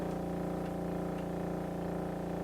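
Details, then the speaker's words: 1936 Philco 116x tube radio (built July 1935), first power-up after restoration with voltage partly raised: a loud, steady low buzzing mains hum with no program, affected by tone but not volume, dial or band, from a disconnected speaker field coil. "oh I hear something it's not a good sound that's not good at all"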